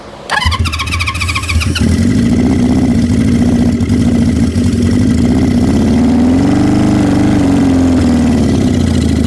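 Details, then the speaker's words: 1973 Honda CB350 four, choked, running on starting fluid: cranks, catches and settles into a steady but slightly uneven run. Owner suspects the carburettor jets need cleaning. "it sounds like it needs a carb clean but that sounded like a running motorcycle"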